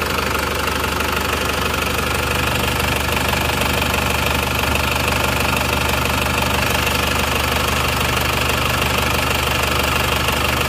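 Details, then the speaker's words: Diesel after repair of a defective cylinder head that had let compression into the radiator, run without a thermostat. Steady, even idle clatter at about two beats per second, no misses; a healthy idle. "Kelihatannya sudah aman ya ini enggak ada termostatnya Makanya"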